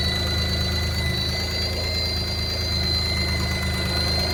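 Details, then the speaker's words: High-pitched whistle over an even idle on a car restarted after 10 years of standing, just after a timing belt change; the owner felt it was rpm-dependent and suspects the clutch (pedal stuck to the floor) or a vacuum leak; source still untraced. "Ein hochfrequentes Pfeifen."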